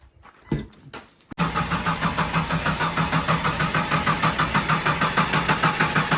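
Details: Jeep Cherokee XJ with code P0340: steady, even cranking at about three beats a second after the key turns, but the engine never catches. Crank no start from a faulty camshaft position sensor (Mopar 4897023AA).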